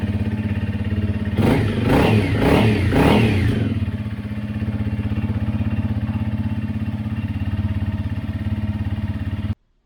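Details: 2017 Honda CRF250L after new cam chain tensioner fitted and oil changed: a few quick throttle blips, then a steady single-cylinder thump settling into an even idle with no ticking or chain rattle; noise gone, healthy normal idle.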